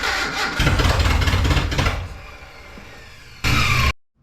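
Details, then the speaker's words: Abandoned Datsun 720 King Cab 4x4 pickup after sitting about 20 years, while adjusting ignition timing: catches, stumbles unevenly, galloping, then drops away; cylinder one not firing, plug wet. "number one's not firing. Not sure why."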